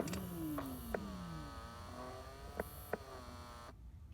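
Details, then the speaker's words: 2000 Dodge Grand Caravan in Alaska (about 20 below) with heat stuck lukewarm; blend door actuator motor behind the passenger-side dash is reinstalled and the fan cycled on and off between cold and high. Soft, smooth, free-running whir with a falling tone means the actuator is operating normally. "and it should start that Actuator motor so you can hear that spinning"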